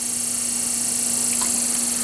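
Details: Large vintage GE desk fan (No. C123047) after rewiring to the taps with new wires: steady low motor hum with faint even whir, no knocks or rattles; the rewiring fixed the problem, running normally.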